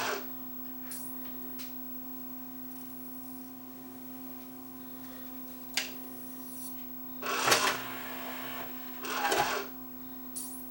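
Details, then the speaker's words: Yamaha CDC 705 5-disc CD changer playing after replacing the drawer belt; quiet steady hum, then two short whirring bursts as disc skip turns the tray to the next disc; carousel rotation is normal. "There it is, it's playing. If I hit disc skip, it'll move to the next disc, as it's supposed to."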